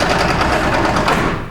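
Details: Ford F150 Dana 44 TTB front axle with newly installed Spartan locker, driveshaft locked, wheel turned by hand in the book test: quick even run of metallic clicks; the locker ratchets as it should.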